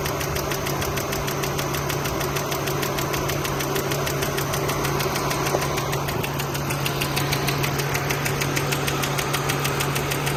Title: 2002 Highlander V6 AWD ticking noise - valve lash adjustment needed? exhaust tick?